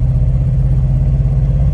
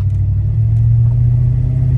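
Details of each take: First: 2001 Toyota Sequoia, about 250,000 miles, at half throttle: deep drone with uneven chugging pulse, cylinder one misfiring; also misfires at idle, coil pack replacement as fix. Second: 2001 Toyota Sequoia with about 250,000 miles, after coil pack replacement for misfire (codes P0300, P1300, P1310), on a test drive; steady, even low engine drone with no chugging, running on all cylinders; misfire fixed.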